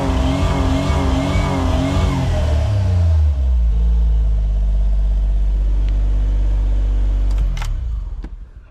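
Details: Suzuki Cara/Autozam AZ-1 with phantom rev limiter, tested after distributor cap and rotor replacement: wavering, surging revs, then steady and abruptly dies away; still cuts out when revved, cause unknown.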